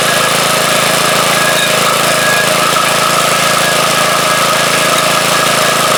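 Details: Front-tine rototiller after swapping its old 3hp Briggs & Stratton for a 4hp Briggs & Stratton lawnmower engine: busy, buzzy single-cylinder running at a steady speed, even with no surging; running normally.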